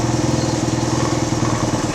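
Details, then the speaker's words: 1979 Honda XL125S single-cylinder after a valve lash adjustment, idle set to about 1,200 rpm, running less rich than before (pilot screw was out 3.5 turns): an even thump at a steady, fairly low idle without hunting. A normal idle. "12 1,00 sounds good actually it's nice"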